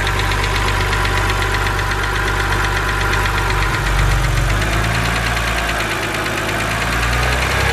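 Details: BMW 130i N52 engine, bonnet open: fast steady light ticking from the top end over a cold idle, keeping time with the engine; hydraulic lifter tick, said to be harmless.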